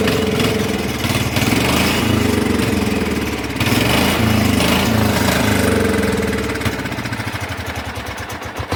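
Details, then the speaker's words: Cub Cadet HDS lawn tractor engine, long-unused, just after carburetor cleaning, bad gas smelled burning: single-cylinder chugs unevenly, beat wavering and stumbling, running on its own poorly but it drives; rough running, cause unconfirmed. "But she's running on her own poorly. And she did drive."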